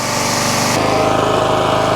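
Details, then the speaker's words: CAT 5DX40G pump on a North Star 3000 psi pressure washer, after resealing and valve replacement to fix vibration and low pressure, running under load: steady even small-engine drone with spray hiss, no surging or shake; healthy at full pressure. "see I'm moving that tree out there that tree's a good 20 yards 60 feet now the wind is blowing back at me yeah I think it is feels good"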